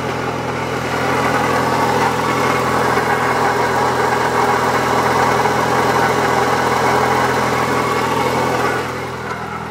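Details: 1997 Eclipse GSX, stock T25 turbo, AC belt removed: steady idle with a constant rough grinding whir from the timing-belt side; a worn water pump bearing, replacement made it silent (an alternator bearing is also noted).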